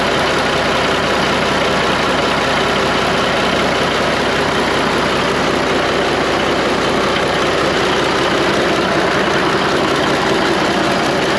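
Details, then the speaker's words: Diesel truck engine (Mack/Freightliner) refired in the shop with the valve cover off after a slight knock traced to fuel. Loud, even clatter at steady idle with no standout knock; running healthy. "I was a little late getting in here with the camera. Got the valve cover off, and it lives again."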